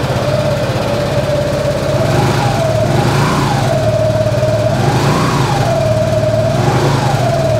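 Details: 2017 Suzuki Burgman 200 scooter, 196 miles: steady, even idle hum with a gentle periodic rise and fall in tone, no ticking or knocking; engine runs healthy.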